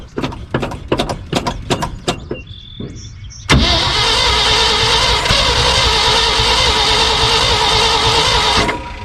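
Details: 1974 Ford F-750 dump truck, sat 4-5 years, rebuilt carburetor, spark confirmed at coil: starter churns in even pulses, then the engine briefly catches with a steady roar before dropping; almost firing, struggling to start.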